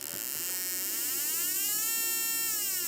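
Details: Standalone spark plug tester, possibly up to 30,000 V, on a plug: fast steady high-pitched buzzing crackle with a slightly drifting tone; the plug is sparking normally.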